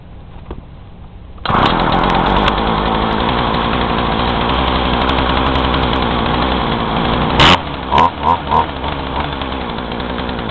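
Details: Craftsman two-stroke chainsaw, hot so no choke, fuel mixed near 40:1 (rated 40:1), chain brake on: runs with ragged, uneven revs, blips sag instead of climbing cleanly; engine bogging, owner unsure if carb screws need adjusting.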